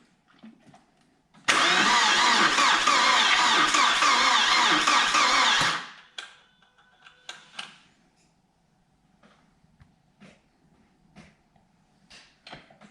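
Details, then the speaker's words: Audi A4 1.8T barn find, about 144,000 miles, jump pack fitted and ignition on: about four seconds of even starter cranking, engine never fires and no fuel pump hum before it; crank no start, fuel pump not running. "can't hear a fuel pump no few warnings"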